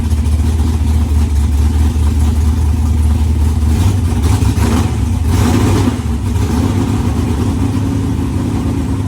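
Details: Firebird V8 first start, fuel lines temporarily rigged: loud, lumpy running that never settles, with sharp pops; rough running with heavy backfiring, cause not confirmed.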